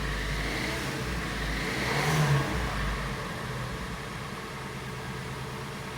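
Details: Kia Sportage restyling G4NA petrol engine, 100,000 km, after overhaul for cold-start knocking from scuffing: smooth note rises with a short rev blip and settles without tapping; engine running properly.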